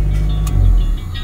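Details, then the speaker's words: 1996 Honda City with check engine light: low idle rumble swells then sags within a second and a half, never settling; idle rises and falls erratically, hunting idle. "Pakita ko sa inyo kung ano yung ah kanyang idle kapagka pinaandar natin. Ayan. Honda City Taasang meno. Okay. Humihinga."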